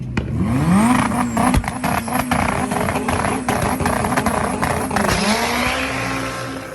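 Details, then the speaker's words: Boosted GSR drag car on an 11.7-second pass: hard revving with ragged breaks and crackles; in third gear at 17 psi of boost it started to sputter, probably running lean, not confirmed. "he said in third gear the car saw 17 pounds of boost and started to sputter it was probably just running lean"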